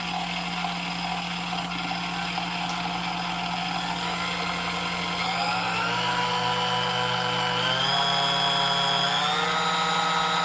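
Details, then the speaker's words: New-in-box Sunbeam Mixmaster Model 11 after service (cleaned, lubed, gears polished, beater gap tightened): smooth motor whir rising steadily in pitch as it speeds up, no grinding or catching; runs like brand new. "all right so I mean it does run like brand-new which is kind of what we suspected it would do"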